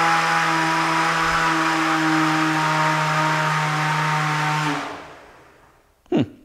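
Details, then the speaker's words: Beetleweight combat robot weapon spin-up test: steady motor whine barely climbs in pitch, fails to accelerate past about half power, then coasts down; weapon labors as belt slips on plastic pulley. "kind of sounds like it's not it's like laboring a little bit let me take a look and see what happens so as you can see it just didn't really ramp up the way it was supposed to"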